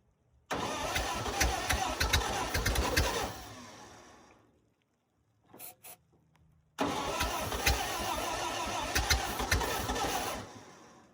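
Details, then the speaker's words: 1928 Ford Model A, sat 75–80 years in a ditch, cold day, torch-warmed, rings swapped into a different block and not yet seated so compression low: long uneven starter cranking with ragged firing, won't catch; timing needs more advance. "because we did change rings into different blocks and the rings ain't seated, so the compression's not going to be that great right off the bat."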